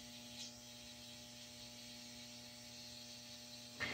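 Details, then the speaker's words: Hydrolevel VXT-120 water feeder (120 V, one-gallon delay set to 30 seconds) on a steam heating boiler, switched on below the primary low-water cutoff: steady solenoid hum over a soft, even hiss as water feeds in slowly. Working as intended. "yeah I think you can see the water fill line marked so it's feeding in fairly slowly good that's what we want"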